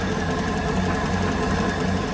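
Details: 2006 Mercruiser 6.2 marine V8 after new exhaust manifold, risers and elbows, warming up with idle raised slightly during a Prestone coolant flush: smooth even low hum, no knocks, hiss or misses; normal idle.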